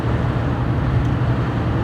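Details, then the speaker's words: Car driven on clearing spring roads: steady rushing wind roar over low road rumble, loudest at the driver door, whose rear window seal is torn with a piece missing and which has no door card; air is leaking past the seal. "now there is a lot of wind noise in here mostly from the driver side door because the window seal on the back edge of that window it is gone"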